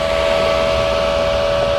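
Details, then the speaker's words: New Dynasty 210 welder's small internal cooling fan: a steady high-pitched whir at constant speed with a faint hiss. It does not run all the time and is a little loud; normal fan running. "This new Dynasty 210 sure has a fan in it. It's like a small fan in there."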